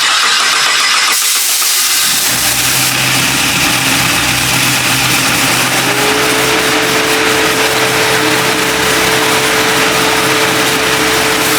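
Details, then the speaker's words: 1976 Chevrolet C10 (ex-Gas Monkey Garage wreck) with LS7 V8, after rebuild: starter whir, engine catches and settles into steady even rumble with faint belt whine; clean start and smooth idle before first drive around the block. "all right let's see if we can get this thing uh to go around the block for the first time"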